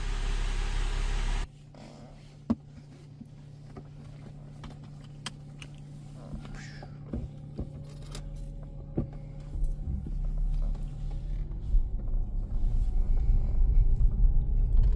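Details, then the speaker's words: 2007 Mercedes E350 4MATIC petrol V6 after a full rebuild for severe engine knock, warming up: smooth steady idle hum, no knocking, no smoke. Normal idle. "Sounds pretty freaking good. Also, no smoke. >> I hear that it's not knocking."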